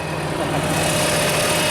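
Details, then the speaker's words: Coronado motorhome generator after installing replacement eBay control board and reconnecting the starter solenoid unhooked during bypass mode: steady even hum at constant speed, smooth low rumble, no knocks or misses; generator fixed, running normally. "Woohoo! All right. Generator's fixed."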